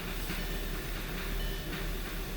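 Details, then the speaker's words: VW EOS with P0686/01670 ECM power relay fault from rodent-damaged wiring harness near ECM, after repair, in neutral at 33°F: steady even low rumble, no knocks, misses or surging; normal running. "make sure i'm in neutral there we go so it runs just fine"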